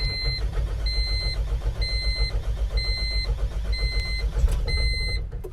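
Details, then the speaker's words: 1997 Honda CR-V after its engine was pressure washed, restarted after battery disconnect: uneven, pulsing idle surging about three to four times a second under a steady warning chime; rough running. "gosh it doesn't sound good"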